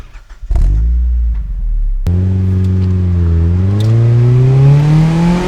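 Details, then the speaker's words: Mazda Miata with a new Flyin' Miata aftermarket exhaust after fixing its broken-sounding exhaust noise, miked-up exhaust on a test drive; deep, smooth drone rising evenly with revs through the gears, no rattles, healthy exhaust note. "here's a proper drive with the exhaust miked up and my thoughts after having it on my car for a whole"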